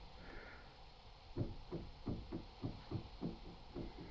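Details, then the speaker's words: Toyota Mark II/Chaser/Cresta (JZX90/93/100/105) steering column, removed from the car and turned by hand: dull knocks about three a second, caused by a weakened spring between the column's half-spheres; fix is fitting a stronger spring. "этот бесячий просто невыносимо бесячий звук происходит из-за того что ослабла пружинка между вот этими полусферами"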